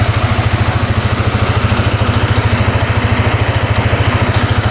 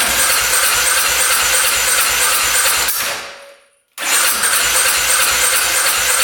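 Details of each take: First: 2010 Polaris Sportsman 550 EFI ATV after cutting off a line: quick, even idle putter, revs out and returns to idle cleanly with no stumbles or smoke; now running and idling normally. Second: 2010 Polaris Sportsman 550 EFI ATV, not run for years, after cutting a clogged case breather line: long bursts of fast even starter cranking, about three a second, almost firing but not starting.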